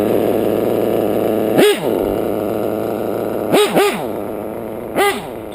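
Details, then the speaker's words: Modded LRP .32 nitro RC engine, still new with only about half a gallon through it: a low, slightly loping idle between a few quick throttle blips. The idle is set too low. "this lrp is still new it's only got maybe half gallon to that actually that idle is pretty low i think it's too"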